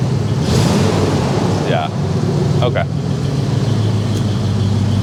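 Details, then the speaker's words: 1979 AMC AMX at idle at the exhaust shop: a deep, loud exhaust rumble with an uneven burble leaking out of the blown-up muffler, which no longer quiets the exhaust. "that rumble, it's there. It's all creeping out of that that muffler that's blown up. But you can hear it's got a good rumble to it."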